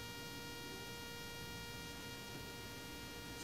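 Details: Rode Wireless Go II receiver connected to the camera via its red cable, hot-shoe mounted: steady high-pitched whining buzz caused by RF interference, occurring only with the camera and not with other devices.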